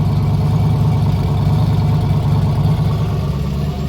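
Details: Big-turbo Dart 363 V8 Foxbody; deep, even rumble with a smooth steady beat and no ticking or tapping; the valve train sounds healthy.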